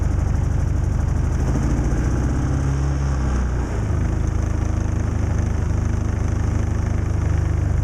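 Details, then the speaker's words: Predator 3500 inverter generator on electric start, cold after nights near −20° and about 5° now. It cranked slowly and started on the second press. It now runs with a steady, even drone and no stumbling: normal running after a cold start. "well it didn't start right away but after i stopped the starter for just a few seconds and pressed it again it started right up"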